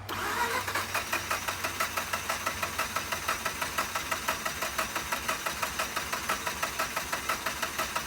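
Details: Mazda RX-8 rotary that shut off while parking, after fuel injector cleaner was added to the tank: steady starter cranking at about two pulses a second with faint attempts to fire, but the engine never catches; crank, no start.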